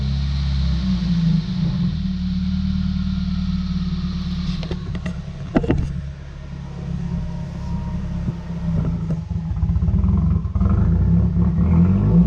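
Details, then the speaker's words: 2019 Subaru WRX idling: drops to about 1,000 rpm with low uneven booming, then revs spike toward 2,000 rpm and hang; suspected something sticking and leaning out the engine, then O2 sensor correction dumping fuel; rough surging idle. "that's why it was just running rough. You'll hear it, it's like boom, boom, boom, boom, boom, and then the revs spike to like 2,000 RPMs."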